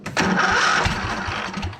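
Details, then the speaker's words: John Deere zero-turn mower, after fixing the throttle: engine catches quickly and holds a steady, even mid-pitched beat without stumbling or surging; running normally. "engine's on I got it mechanically running"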